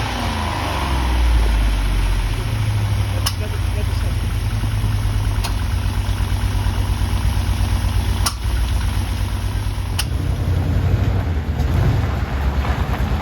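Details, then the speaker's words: 1970s Aston Martin V8 barn find after carburetor and fuel system rebuild: deep, even V8 burble holding a steady idle with a few small blips; normal, healthy idle. "rebuild the carbs and the fuel system and get their dad's Aston running as well as it did back in the old days"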